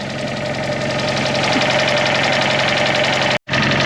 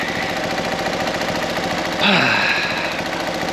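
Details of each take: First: Fiat 500 TwinAir two-cylinder, used replacement engine, after curing low oil pressure and no-start by cranking with plugs out and fuel pump disconnected until the oil light went out: even, steady idle with a light valve tick, no knocks or leaks; healthy. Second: Fiat 500 TwinAir with a fresh engine, fully warm after about 15 minutes of idling: quick, uneven metallic clinking over the idle from an unfastened exhaust bracket rattling where the exhaust meets the bottom of the cat.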